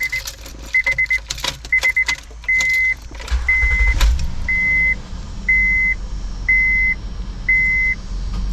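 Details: 2011 Honda Pilot after replacing the belt tensioner and belt to cure a screeching/chirping noise: keys jingle, a chime beeps about once a second, and the engine starts into a smooth, chirp-free idle.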